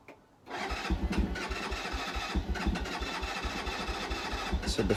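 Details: Keeway 125cc with Suzuki GN/GS engine, not started for 18 months, on the electric starter: quick, even starter pulses for several seconds, never fires. Owner unsure whether the carb was dry; repeated cranking without starting.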